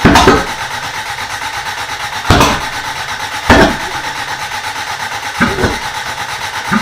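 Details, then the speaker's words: Toyota Corolla being reassembled, cranking on fresh gas: steady cranking broken by sharp backfire pops every second or two, never catches; flames out the exhaust, no timing mark on timing light, timing suspected 180 degrees out, distributor then re-timed. "okay so we just threw a a timing light on there and I don't see any mark at all while we're cranking it so thinking it might be 180 degrees off"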